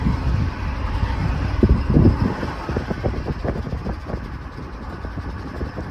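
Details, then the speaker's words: GMC Yukon XL 5.3 L V8, just over 150,000 on the clock, driving: heavy, uneven knocking about four times a second under the engine note, worsening with lurching, from a rod knock. "Oh, it's knocking real bad. She's knocking bad, boys."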